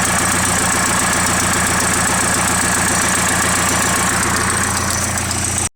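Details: Nissan SR20DET at idle: a fast, steady ticking of a few ticks per second rides on the idle; an exhaust leak is suspected, unconfirmed.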